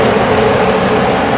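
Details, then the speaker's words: BMW after repair of a cylinder misfire (fault 140601) caused by a faulty ignition coil. The idle is now steady and even with no stumble or skipped beats; the engine runs normally on all cylinders. "Hı hı araç tamamen normal çalışıyor herhangi tekrar yok"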